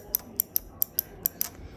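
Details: New replacement door switch for a KitchenAid/Whirlpool microwave with F2E1 error, pressed by hand: crisp sharp clicks, about seven in two seconds; working properly, unlike the old worn switch that no longer clicked.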